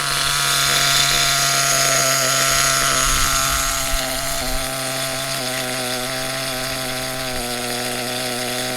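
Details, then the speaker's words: HPI Trophy Truggy RC nitro 3.5 engine, tuned for everyday use: thin buzzy tick-over holding a steady pitch without hunting or dying; stable idle but set slightly high. "It's still sitting there nicely. It's a little bit high, but we can take that down later on when we've got a bit of trust in it."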